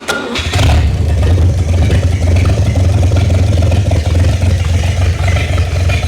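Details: Freshly rebuilt GMC 302 inline-six, fed by an electric fuel pump with a hose supplying cooling water: cranks, catches quickly and settles into a smooth, steady low idle with no knocks or misses; normal idle.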